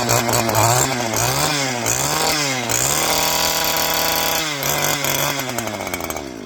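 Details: Two-stroke string trimmer after removing its screen: revs up and down cleanly, pitch climbing and falling with the throttle without stumbling or cutting out; runs healthy.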